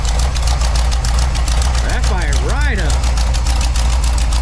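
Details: Big-block 1984 Dodge D100 with Edelbrock 600 CFM carb, fuel filter and line just cleaned, gap set to 45, exhaust leak noted: steady, even low V8 rumble, no misfire or stumble; running properly.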